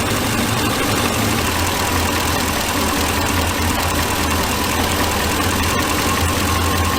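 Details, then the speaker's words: 2006 Ford E350 van, 5.4L V8: idles with an uneven, stumbling beat, missing on at least one cylinder; misfire on cylinder 8 that moved to cylinder 4 after swapping coils, so faulty number 8 ignition coil. "yeah it's definitely missing on at least one cylinder let's get the scan hmm"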